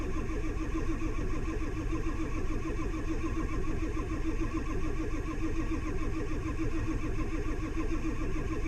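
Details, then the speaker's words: Duramax LBZ diesel pickup, 260,000 miles, in cold weather with new batteries, HPOP reservoir still emptying: sluggish, even starter churn with slow compression beats and no firing; slow cranking no-start. "Okay, so this thing, like I said, it's still full HPOP uh still doesn't still empties the reservoir. So, uh and it's cranking slow."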